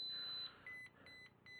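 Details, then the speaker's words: Bluefly vario paired with XCTrack, indoors. Short, clean, high-pitched climb beeps repeat about every half second as the audio aid: normal vario tone. "if you move it up and down your beeping which is a audio aid to be able to hear the movement of the glider"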